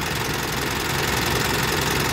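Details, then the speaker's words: Mitsubishi Triton GLS diesel idling with check-engine light on: light, quick ticking over the clatter, valves sound crusty; valve (klep) adjustment needed. Loose battery terminal suspected as check-engine cause, still only a guess; hard starting noted. Valve tappet noise. "kerak gitu ya. Ini perlu adjustment bagian klep."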